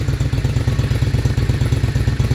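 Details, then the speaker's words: Honda Shadow VLX 600 V-twin after installing a new battery: starts on the first press and idles with a steady, even low thump of about eight pulses a second, no misses. The weak battery had caused the no-start. "after install a new battery this is what it sound like when it turn on right see that see a weak battery and then a good battery that's a different sound"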